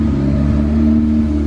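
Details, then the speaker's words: Built turbo B16 EF Civic hatch just after starting with its tune file reflashed: steady, even idle held noticeably high; high idle, possibly distributor keyway flipped or fast idle valve, unconfirmed. "sometimes if you take distributors apart on these things and you flip the keyway that goes into the cam, you can see it idles really high."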